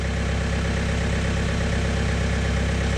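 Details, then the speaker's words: 2018 Chevy Cruze 1.6L turbo diesel (Gen 2) idling after fuel filter change and priming, no leaks, filter fuel noise stopped: steady, even diesel clatter, no misses, knocks or hiss; healthy idle. "I don't know if you can hear without fuel noise that was circulating around in the filter now probably just filling up even more has stopped now cars still running the same"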